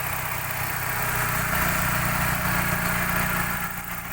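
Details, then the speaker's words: 2000 Suzuki Baleno DX manual, petrol engine started and idling with the hood open: steady, even idle with a smooth low rumble and no knocks or ticks. The engine sounds smooth and responsive. "Mesin juga suaranya masih halus. Kita nyalakan sini ya. Nah, suaranya masih responsif."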